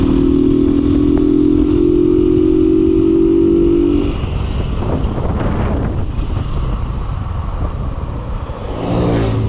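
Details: Kawasaki Boxer 150 on a road test after conversion to a 4-pin CDI, replacing the failed original: steady, even engine note for four seconds, then wind and road noise as the bike pulls away; runs clean.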